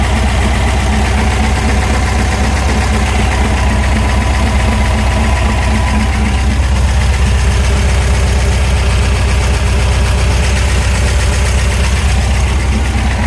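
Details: VW Super Beetle with 1679cc DP air-cooled flat-four, idling: steady fast knock, about four per second, over low rumble. Owner suspects rod knock; cause not confirmed.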